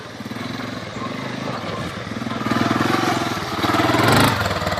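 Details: 1985 Honda 250SX ATC three-wheeler, restored from a basket case, kick start: single cylinder thumping about three to four beats a second, rising slightly with throttle blips, running cleanly without stalling or misfiring. Normal running.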